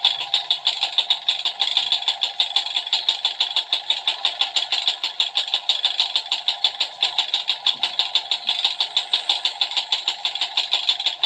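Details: Two-stroke Yamaha Alfa idling with a sharp, fast tick about three times a second from the cylinder/top end, causing lost power; piston slap from worn piston-to-cylinder clearance, suspected connecting rod, piston to be replaced.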